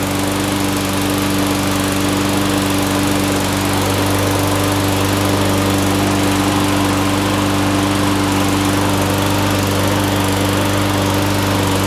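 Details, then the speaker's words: Craftsman mower, Briggs & Stratton Quantum, just restarted after replacing a broken camshaft. Steady, even drone at constant speed with no misses, knocks or surging: running properly. Muffler smoke is dripped oil burning off. "she's a runner that smoke that you see just coming off the muffler that was just oil that dripped onto while we were working on it that should uh stop in time"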